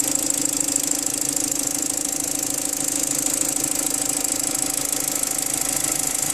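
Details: BMW N45 engine at idle: a light, fast tapping knock about three per second over the engine hum; source not identified.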